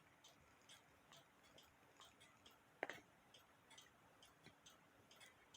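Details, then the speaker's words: Cuckoo clock music box governor fitted with a plastic alarm clock wheel on the music drum shaft: light uneven ticking with occasional sharper clicks, only somewhat works because its teeth run opposite to the original 6.3 wheel's teeth and are fewer. "to a point the teeth on this wheel that came off the music Governor is in One Direction and the teeth on the uh these plastic Wheels like I said they're they're not that many and the teeth were in a the other direction"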